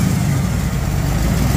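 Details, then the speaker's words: 3rd-gen Camaro IROC Z28, blown 383 stroker with dual 750 double-pumper Holleys and a new cam and lifters, after a throttle linkage fix: a deep, steady rumble holding an even idle without misses or pops. "guys I can't believe the car four five months ago finally run yeah finally running huh"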